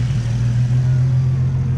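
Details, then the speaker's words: Nissan 350Z V6 after a VHR intake manifold swap with PCV ports plugged, which earlier bogged and seemed to misfire like an air leak: now a smooth, even idle hum with no stumble, likened to a 370Z. "before it sounded like it was misfiring and stuff now it sounds pretty sounds like a 370Z"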